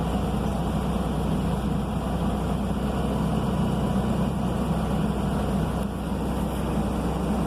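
Big diesel holds a steady, even drone at raised idle while the compressor builds air, running smooth and normal.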